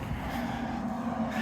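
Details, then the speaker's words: 2002 GMC Sonoma, parked for years, running after the airbox is installed and the MAF and air temp sensors are reconnected: smooth, even, steady low note with no knocks or misses. "it ain't perfect the dash is Warped on it but you know what is looks better than it did got the airbox on it truck runs"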